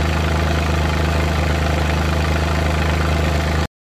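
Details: Suzuki Multicab with F6A three-cylinder engine held slightly above idle: lumpy beat with irregular stumbles, random engine misfire shaking the engine.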